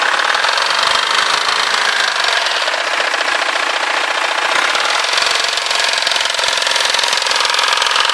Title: 320d 2005 e90 engine knocking/vibration sound.mp4